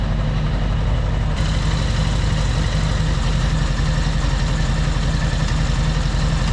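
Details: 1975 Honda Goldwing flat-four at a steady, even idle after carburetor synchronization, with lock nuts snugged; low rumble with quick even pulses, no knocks or misses.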